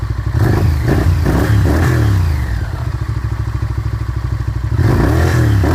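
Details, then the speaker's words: 1998 Honda VTR 1000 Super Hawk V-twin, about 5,000 miles since 2010: quick throttle blips sag and stumble briefly before recovering; bogging on rev, no leaks, valve clicking not present now, cause not stated. "I'll shut it off now so you might have heard when I went to rev it there it was getting bogged down"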